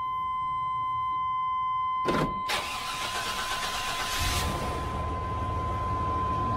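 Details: 2000 Chevrolet/GMC Express cargo van, 5.0-liter small block, in for no-start and fuel leak; chime, short crank, then catches and settles into steady, even idle; normal start and idle.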